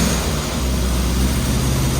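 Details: Freshly rebuilt 948cc A-Series engine with twin SU carbs, first run-in, cold on choke: steady low rumble at raised even fast idle, no knocks or misses; timing and mixture still need adjustment. Normal fast idle on choke.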